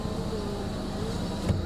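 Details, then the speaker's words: Nissan 200SX salvage car after replacing the window regulator; steady even motor hum through window travel without catching or grinding; normal power window operation. "it's a good running driving and riding car with cold air conditioning and has working windows now that's exciting right look at that"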